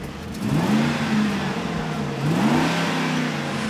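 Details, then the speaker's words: Ford F-150 with the 5.4L 3-valve V8, previously misfiring, after a tune-up with new spark plugs, coils and O2 sensors, revved: a smooth, crisp rise and fall of revs with no misfire, stumble or tapping. The engine runs strong and clean. "she's a racehorse better now Jambi LT sounds wonderful man"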